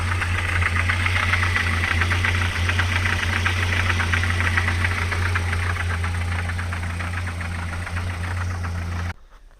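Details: ZMZ 405 fuel-injected petrol engine, slightly warmed, idling: steady hard diesel-like clatter, about three to four knocks a second; owner suspects timing chain or a failed hydraulic lifter, cause undetermined.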